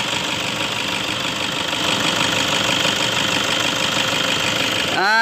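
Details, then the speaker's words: 2009 Toyota Innova diesel automatic, freshly changed oil and fuel filter, dirty intake and slight hesitation: hood-open idle has a steady even clatter, no knocks or misses, fairly smooth for its class; normal idle. "Nah, ini dia, teman-teman, suara mesinnya seperti ini. Soal suara mesin, Papi merasa tidak ada yang aneh."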